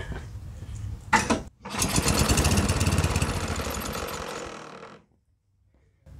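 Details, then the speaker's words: Yardworks 27-inch two-stage snowblower running on starter fluid: the engine catches, runs rough and rattly for about three seconds, then dies. The owner suspects the chute was rattling. "okay I did hear some weird sort of rattling noises maybe it was just the uh the Shute was rattling"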